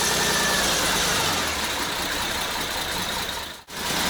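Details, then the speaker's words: Diesel engine on an all-terrain vehicle build, idling after a pump adjustment: harsh uneven metallic clatter about two knocks a second; a viewer suggests injector lines of too large a diameter give wrong injection pressure, unconfirmed. "Повернул я насос, но все равно идет вот этот клёкот. Кто-то из подписчиков наших писал, что, возможно, из-за того, что диаметр в трубках чуть больше, чем нужно для штатного, но неправильно создается давление в форсунках."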